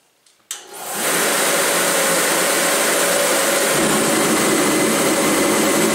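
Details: Torpedo heater running on diesel after repairing a fan motor that wouldn't start, fixed with a zip-tied capacitor: lights off within a second and settles into a steady even fan-and-flame roar with no surging; running properly.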